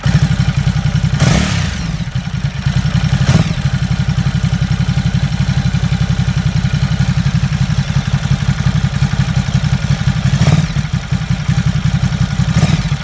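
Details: Ducati Supersport at idle: steady idle with a dull clatter on every firing pulse plus a few heavier thumps; owner asks if it's normal, and the source of the clatter is unclear.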